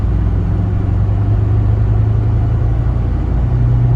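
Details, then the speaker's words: 2005 VW Jetta TDI diesel on a test drive: a steady low hum under the diesel clatter, suspected wheel bearing noise that would explain the ABS and traction control lights. It worsens when steering toward the driver's side and almost goes away toward the passenger side. "so it does sound like there is a wheel bearing noise which would explain the ABS light and the traction control"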